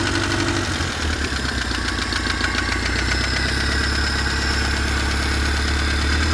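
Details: BMW E30 with M10B18 engine at idle: an irregular light tapping comes and goes over the low drone. Intermittent engine knock, cause unknown.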